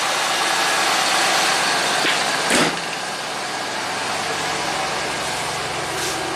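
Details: 1993 Cadillac Allante V8 after fixing a crooked, loose idler pulley that shredded belts: steady, even idle with a smooth belt hiss, no chirp, squeal or flapping; belt centered and running true, normal.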